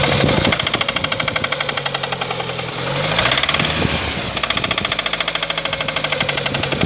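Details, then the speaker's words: Lada Kalina engine before repair: sharp, regular metallic knock over the idle that quickens as revs rise and fall; clear internal engine knock. "Так, вот так вот мы работаем. Вот такое стучание у нас."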